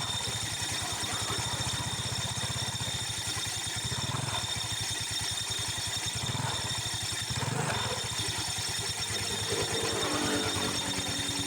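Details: Yamaha Mio Sporty idling, rough hissy rattle from the CVT over the engine beat; cause found to be a loose, unlubricated clutch pulley.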